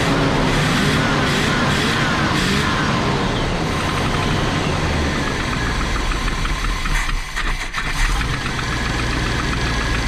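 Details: Big-block Chevy engine in a motorhome, previously cranking without fuel; after fuel is restored it settles from a loud, rough-edged rumble into a steady, normal idle.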